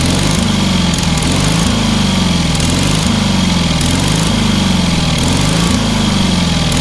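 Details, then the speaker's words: Engine on a free, long-neglected trailer-mounted man lift (cherry picker), pressure-lubricated with quite a bit of water in the oil and a corroded intake, throttle half open; small single-cylinder runs steady and even, crisp firing beat, no misses or knocks; healthy. "Quite a bit of water in that oil. Yeah. That thing runs amazingly well for what it is."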